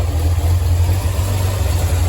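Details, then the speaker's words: Datsun 240Z engine after timing set with timing light, about 20 degrees advanced, unable to idle down to 650 rpm without dying: deep low idle, slightly uneven and lumpy, still a little rough. "I hope that's as close I can get it right now in this uh still alive being a little bit rough so well that's quite nice"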